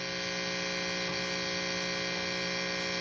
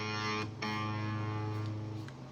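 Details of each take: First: Left-handed Fender Stratocaster: steady loud mains hum and buzz with no guitar signal, from loose input jack with broken ground wire; fixed by repairing the jack. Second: Left-handed Fender Stratocaster after input jack repair and reconnecting the grounding cable: clean plucked notes ring over a quiet background with no hum or crackle; normal output, no buzz, though the pot is a little wonky.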